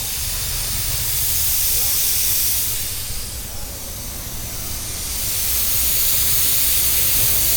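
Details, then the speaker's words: Mitsubishi Pajero on a trip, engine running: steady hiss of escaping steam rising and falling over a low engine rumble, from a small coolant leak inside the radiator top cap, which has come loose on one side. "അത് കണ്ടില്ലേ അവിടെ തന്നെ നമുക്ക് top ഈ ഒരു സൈഡിൽ നിന്നാണ് വരുന്നത്. ടോപ്പ് ഇളകിയിട്ട് ആ ടോപ്പിന് വരുന്നത്."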